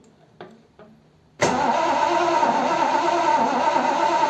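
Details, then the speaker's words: Triumph Stag engine after top-end rebuild, first start attempt after about 20 years off the road: a couple of faint clicks, then sluggish labouring cranking about four beats a second, never catches; battery suspected weak, jump start planned. "think the battery's going."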